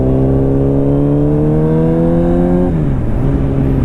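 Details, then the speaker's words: Restored 1995 Honda CBR600F3 (30-year-old bike, engine and electronics largely redone) on first real road ride: engine climbs smoothly under load and drops cleanly on the shift, with the normal supercharger-like induction whistle from the front air intake. "these uh 600s have a very distinct race bike noise to them they're not like normal uh sport bikes they have an interesting engine they almost sound like they have some kind of supercharged whistle turbo on them and that's the air and induction system that's in the front of this"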